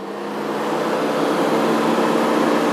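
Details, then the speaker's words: Used 2013 Nissan Evalia manual during a pre-purchase inspection: steady low radiator fan whir with an odd hum that never rises to high speed; one fan motor is dead and needs replacing to prevent overheating. "Hai saya ini terdengar suara aneh di sini putaran tidak bertambah tinggi artinya high-speed mini motor venue mati ini"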